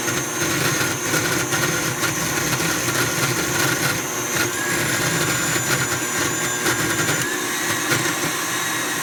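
A rough, gritty grinding rides over the motor hum the whole time it runs; something inside the mixer head is grinding.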